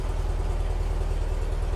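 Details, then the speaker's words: Porsche 356 air-cooled flat-four with dual carburetors, dead cold, held at a fast idle just under 1500 rpm: even, steady, smooth pulsing with no misses; the cold carburetor snaps at lower idle. Shown as a normal reference. "if I kick it up to there about a little shy of 1500 rpm here how smooth it is"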